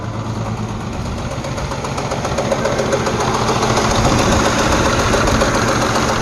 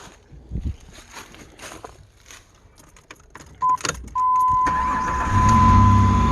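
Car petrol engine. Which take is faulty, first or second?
first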